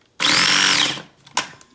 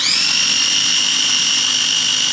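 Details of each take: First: Cuisinart Mini Prep food processor with a piece of cucumber jammed under the blade hub: a short high motor whir under a second sags and stops, then a knock, as the wedged food drags the blade. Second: Cuisinart Mini Prep food processor after clearing food from under the blade and reseating the lid held fully down: a high steady motor whine for about six seconds with two brief speed dips, then a clean stop. It runs normally.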